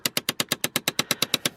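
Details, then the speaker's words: Chevrolet Impala 9C1: rapid, even clicking about eight per second from behind the glove box, a blend door actuator skipping (the "blend door bongos"); a junkyard replacement part is being fitted. "can't complain all right so back here i can actually feel it click click click click click away click click click click click click click that's actually back here hiding behind the glove box"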